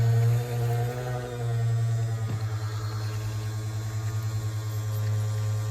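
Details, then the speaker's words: 1965 Ford Falcon convertible-top hydraulic pump during bleeding with a low reservoir: a steady low drone with a wavering, bubbly gurgle as the pump draws air. Hydraulic pump aerated from low fluid. "all right we're down still okay so we need to pump some more food oh yeah it's making gurgling sounds empty GLE noises"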